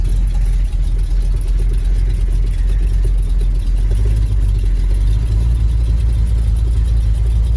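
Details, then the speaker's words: 1971 Ford F250 Highboy with an overhauled V8, cold-started in the snow after sitting since late September: a deep, slow, even burble at a lazy low idle set for summer. A known exhaust leak is present, and the manual-choke high idle may be misset. Low cold idle speed. "not bad idle set pretty slow for summer so we'll see how it does"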